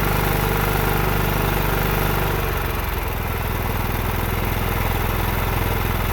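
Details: John Deere 16 HP (140 psi compression) after the carburetor was refitted with a new fuel line, air filter off: runs on its own, speed settles lower, then holds a steady even beat; the carburetor is now feeding properly.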